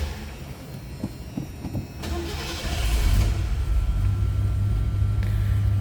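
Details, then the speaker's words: 1976 Lincoln Continental with a 460 V8, starting from cold: a short crank catches at about two seconds, then a deep, even rumble settles into a smooth, steady idle with no misses, which is normal. "i said that 460 runs smooth"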